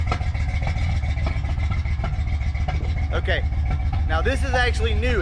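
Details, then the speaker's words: Ford Fox Body Mustang V8 just started, idling with an irregular sharp pop about every second; suspected spark issue, plug firing only every other time with cylinder filling with fuel; misfire. "so you hear that pop typically that's going to be a spark issue i mean the spark plug is not firing all the time it's probably firing every other time or something like that"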